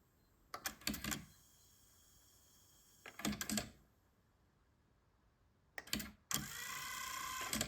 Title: Onkyo TA-2800 Auto Accubias won't start